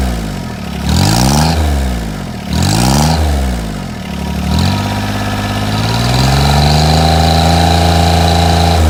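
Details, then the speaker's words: 1986 John Deere 330 diesel tractor: clatters up through a couple of quick revs, then settles into a steady, even idle with clean, regular firing; runs really good with a little black smoke. "As you can hear, it runs really good. Rolls a little bit of black smoke, which is pretty sweet."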